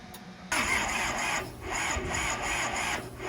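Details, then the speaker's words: Kubota L285 4-cylinder diesel tractor, left outside 8+ years, cranked on a 200 amp plug-in starter after 30 s of glow plugs: steady even starter whir, engine never catches. A leaking fuel line and weak injector pressure were found afterwards. "I'm gonna do 30 seconds on the glow plugs, and then we'll try to crank her and see if she does."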